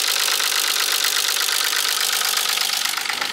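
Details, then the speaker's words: Left-hand-drive US-spec Nissan 300ZX Z32 Fairlady, naturally aspirated, manual, with misfiring complaints. At idle, a sharp, even knock about three times a second, diesel-tractor-like, seemingly from the middle of the engine. Cause unknown. Engine knocking. "this is the sound of the engine sounds like a diesel tractor and it's coming out with I think from here"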